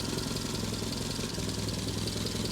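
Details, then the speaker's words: Petrol engine with coil issues, idling steadily with a rapid puffing pulse and a faint airy hiss at the exhaust, where a gasket was seen popping; exhaust leak suspected. "Do you hear that exhaust hissing out of there?"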